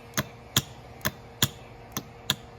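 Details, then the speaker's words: 1981–1985 Mercedes diesel cruise control actuator bench test, power applied to solenoid pins: six crisp, strong clicks about every half second; solenoid engaging strongly, normal. "Listen to how strong that solenoid sound is."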